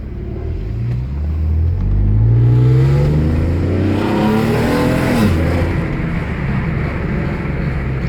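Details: Alfa Romeo 156 3.0 V6 with newly fitted sports performance exhaust: strong, deep revs climbing and falling smoothly, even throaty note with no rattles; expected to deepen over time; healthy exhaust.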